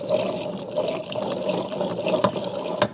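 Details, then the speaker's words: Blaster quad being rebuilt: bottom-end bearings grindy when turned slowly by hand, rough gritty rasping with sharp clicks; same grinding heard when kicking it over; wrist pin bearing nearly failed, fouled plug, piston damaged, cylinder unscarred. "Alright, so you can hear the bearings. They're grindy."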